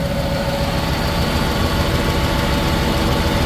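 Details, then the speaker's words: 1996 Chevy Camaro Z28 V8 with Flowmaster exhaust: steady deep burble with occasional uneven lope at idle; misfire on cylinder 3, owner suspects a spark plug wire, unconfirmed. "Sitting down in there pretty good for it to have a misfire on cylinder 3. I believe it's gonna be a spark plug wire."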